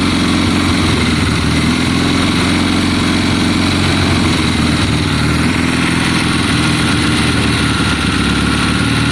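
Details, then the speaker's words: 1972 Triumph Bonneville T120 with Mikuni carbs, kick-started, first run in a long time, after cleaning the spark plugs. Loud, steady idle with an even exhaust beat and no stumbling; sounds happier, though the carbs are not yet balanced. "sounds better to me john it sounds happier"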